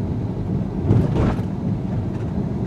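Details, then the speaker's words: 2019 Ford Edge ST 2.7L EcoBoost on 21-inch wheels crossing one of several mild speed bumps at 20–25 mph: a smooth pass, but a low dull thump rises over the road rumble from the big wheels and tires, which is normal impact. "I'm number one pretty smooth but you hear that thumping from the big wheels number two"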